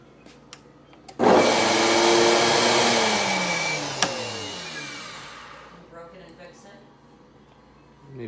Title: Blender misfire